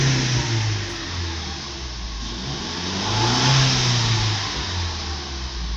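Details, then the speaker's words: 2015 Ford Mustang 2.3 EcoBoost turbo after full rebuild for a knocking cylinder-2 rod bearing: engine revs up and settles smoothly twice, even note, no knocks or ticks; normal running. "все двигатель работает чётко без каких-либо претензий"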